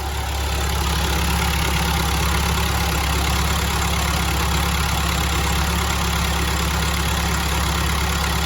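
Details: Telehandler diesel after cleaning the gunked lift pump and new fuel lines: steady, deep idle holding an even beat with no stumbling or hunting; normal idle, fuel issue hopefully solved.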